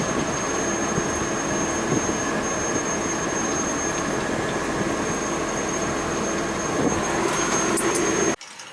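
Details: Boiler heating zone: loud continuous rumble with a thin high whistle over it, holding steady until it cuts off; loud noise from the heating zone, source not pinned down.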